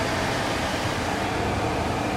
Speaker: guys this blow motor does not sound healthy can you hear